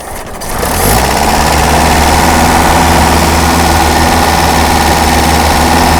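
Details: Daihatsu F20 4x4, first start in years, cold: catches within a second and settles into a fast, even idle on a little choke until warm, steady drone with no knocks. Timing was a little out.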